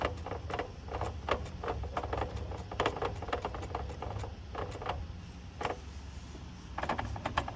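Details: Mini F56 JCW manual with Quaife LSD: silent until driving over a speed bump, then a run of sharp hard clunks; owner suspects the LSD setup, not confirmed.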